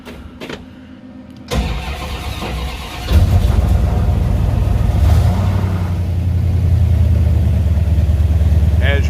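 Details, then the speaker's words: 1970 Dodge Charger rebuilt 318 V8 on manual choke, start-up after rebuild: short cranking, catches quickly, settles to steady even idle; normal cold start. "see it actually starts up pretty quick obviously you set the truck on these older engines that don't have electric chokes or nothing"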